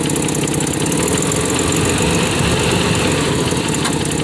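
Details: 1993 Nissan Pathfinder 4x4, 5-speed manual, 205k miles, with power loss and a suspected failed injector: uneven quick ticking about four per second over a rough steady idle; owner attributes the noise to an exhaust manifold leak.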